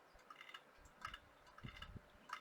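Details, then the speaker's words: IBM ThinkPad 390 laptop hard drive clunking at power-on: quiet bursts of sharp clicks and dull clunks, about four groups in under three seconds. The drive is suspected faulty, not confirmed. "turn it on now I know it's on because I can hear the hard drive clunking"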